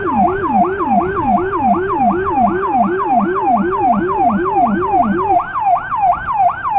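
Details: Federal Signal Rumbler siren on a small emergency car in Budapest, recorded from inside: a high wail sweeping about three times a second over a deep pulsing 180–360 Hz rumble that cuts out near the end; working normally.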